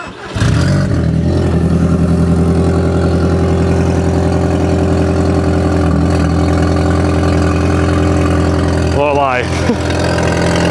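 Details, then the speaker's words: Audi TT just after fitting a new exhaust with sleeve; starts and settles to a deep, loud, truck-like idle with a chuffing edge; blow suspected further up near the exhaust manifold or cats. "still sounds a bit like a truck to I have a feeling that the exhaust is blowing further up either near well from the exhaust manifold on the cats"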